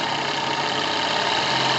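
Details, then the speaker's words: Single-acting twin-cylinder model steam speed engine on workshop boiler, around 3.5-4 bar: dense, even rush of rapid exhaust and rod beats, no knocks or misses; runs fast and healthy. "Écoutez le bruit plutôt que regardez les images. Mais vous entendez que ça bouge vite."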